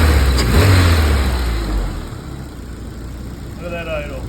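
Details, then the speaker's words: Freshly built F24 engine (AC removed), first start and run: short rev, then a steady, even idle with no miss, hunting or knock; normal idle. "look at that Idol [Music] nice and steady looking good"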